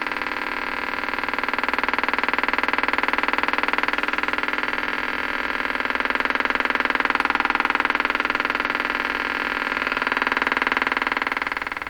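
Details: Stromberg Carlson 561 tube radio, tuned to 600 during alignment, suddenly motorboats after a tube swap and added ground: steady putt-putt popping about four per second with a slow rise and fall in level.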